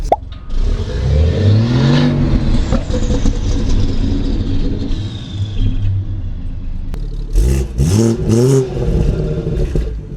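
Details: Manual BMW 340i with 6" catless downpipe and stock exhaust reinstalled: several quick throttle blips rise cleanly and fall back to smooth idle, no misfire, rattle or knock; flap opens above 4,000 rpm; normal revving.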